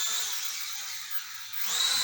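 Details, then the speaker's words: Mavic Mini clone drone hovering indoors, pushed down then lifted: high buzzing whir softening then swelling back as rotor speed adjusts; barometer altitude hold working normally. "And as you can hear, the rotor speed is picking up because it knows it's dropping in altitude. So it does have altitude hold."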